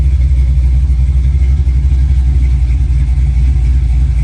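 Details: 1965 Chevy Nova V8 at first start-up after a rebuild, with a new cam and headers, in park, warming up: deep, loud rumble with a choppy, loping rhythm at idle, healthy engine with a lumpy cam. Lopey cammed idle.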